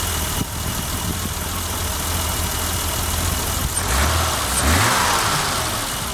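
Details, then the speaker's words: 1988 BMW 325i straight six after a new fuel pump replaced the locked-up one, running on its own for the first time in 6 years: steady, even low rumble with no misses, knocks or ticks; a smooth, normal idle. "And by itself since 6 years now. It's been 6 years. Wow, that sounds smooth."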